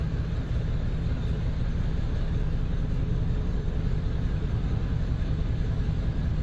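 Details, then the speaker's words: 2002 Chevy 1500 with P0300 and no power, barely made it in; low, lumpy, shaking idle with no steady beat while injectors are cut one at a time, and cylinders one and seven show no change, so they are the two dead, misfiring cylinders. "so that was one in seven are two problem cylinders I'm gonna try a different cylinder"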